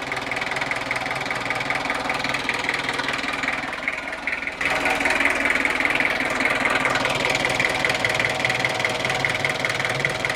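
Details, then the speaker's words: Opel Rekord 2.1 diesel, barn find, using oil: steady idle knock, then a strong rushing hiss with pulsing puffs heard at the breather hose; massive blow-by, likely worn piston rings or cylinder walls. "This is not good. There's a massive amount of blow-by on this engine."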